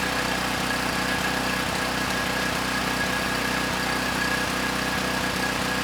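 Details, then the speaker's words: Campbell Hausfeld GN503100AC 5000 W generator, 9 hp Briggs Vanguard, started on choke: steady drone with uneven little stumbles and pops; engine sounds good but clone carburetor runs it way too rich. "the carburetor not running the engine so well it's running the engine way too rich so that carb is I think ultimately going to get returned it is not suitable for this machine"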